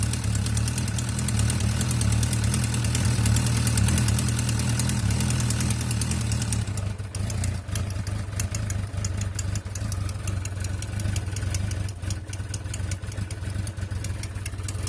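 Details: 2004 Suzuki Bandit 1200S motorcycle idling with a light, somewhat irregular ticking over its low hum; owner suspects valve noise but is unsure of the cause.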